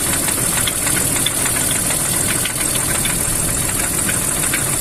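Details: BMW M54 engine: uneven light ticking knock over rough running, sharper from the top of the engine, cause not pinned down; engine knock.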